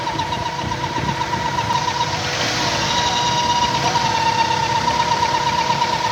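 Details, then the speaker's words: 1998 Toyota Indus Corolla at idle: a constant thin whistling hiss over the engine; pressure builds in the crankcase, and removing the oil filler cap stops the sound, pointing to a broken PCV valve. "Cap खोलने के अंदर engine के अंदर काफी pressure बना हुआ है गाड़ी स्टार्ट करो ये कैप खोला है तो गाड़ी के अंदर प्रेशर बन रहा है मगर यह केप खोलने के बाद इसकी आवाज बंद हो गई है"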